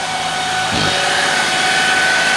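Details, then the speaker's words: 2007 Chevy Cobalt 2.2L Ecotec idling after water pump replacement: thin steady high whine, present before the repair too, seemingly from drive belt area; tensioner or loose pulley suspected, unconfirmed. "I don't know if you noticed that whining, but it was making that noise before I did the water pump, and it sounds like it's coming from the drive belt over there. It sounds like it might be the tensioner or maybe a loose"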